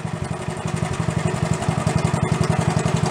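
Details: Quick, even putting beat, about nine pulses a second, no skips or knocks, from a restored Honda Trail 70, smoke possibly from oil burning off in the muffler; normal idle.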